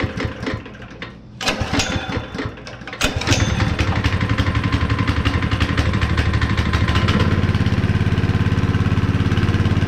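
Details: Honda GX160 5.5HP on concrete power trowel, unrun for years, after repair with cleaned spark plug: a few pulls, then catches and settles into steady, even thump with no misses; runs properly.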